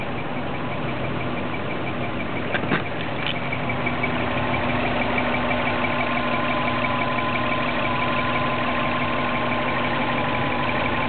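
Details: 2003 Subaru Legacy with 2004 WRX engine swap, fully warmed up; steady idle with a thin, constant high squeak riding over the engine, only when warm, source undetermined.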